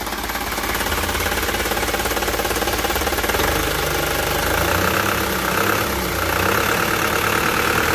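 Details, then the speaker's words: Isuzu Elf Blue Sky diesel truck, tuned: revs and settles with even, slightly rough beat and hoarse exhaust note; normal revving. "seperti ini untuk suaranya Cemara qqqq itu dari suara streng ya dari suara seraknya vanbell seperti itu"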